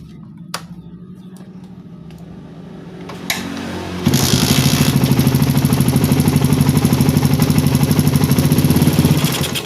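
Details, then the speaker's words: Carburettor fitted with the original, unground J6ZG needle, slightly thicker than the one ground 0.05 mm, with the air screw still at 2.5 turns: a soft, uneven idle jumps to a hard pulse on throttle, then dies, starved off idle. "Ketika ganti jarum yang ukurannya sebut saja lebih besar sedikit, dia tidak mau digas guys ya. Jadi ketika digas itu mati."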